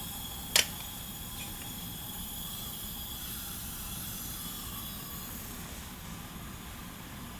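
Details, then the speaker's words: 1990 Onan P218 18 hp twin, one cylinder low compression (90 vs 120 psi): leak-down test gives a steady faint airy hiss at the exhaust port; owner suspects a carboned-up exhaust valve leaking. "the exhaust port's leaking I could hear it C probably just needs a the exhaust ports carboned up"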